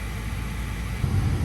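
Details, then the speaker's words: 80% furnace with newly replaced inducer fan motor assembly, power restored; steady low hum with even airflow, no rattles or scraping; normal inducer fan operation. "There we go. Our inducer is up and running. Everything sounds good."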